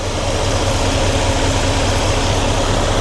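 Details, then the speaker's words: 1993 GMC Sierra C1500 with new Delta Current Control driving a 2-speed 1994 Ford Taurus cooling fan: idling engine with an even airy rush over it, wiring not heating up. Radiator fan running normally on low speed. "Yep, it's working. All right. So, that's that's the low speed. Nothing is uh heating up."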